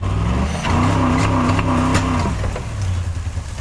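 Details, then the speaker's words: Ford auction engine struggles under load: revs climb roughly and unevenly then sag without pulling, no guts in drive; a nasty hole, fuel map suspected. "Why is it struggling so bad? It's struggling."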